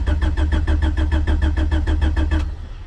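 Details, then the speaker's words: LSVTEC turbo engine on E85, cranking in neutral with the fuel pumps on, after a new valve cover, lines and catch can, before bleeding the cooling system: steady cranking at about three pulses a second for over two seconds with no catch. Extended cranking, expected on E85. "Give it a few shots because it is E85."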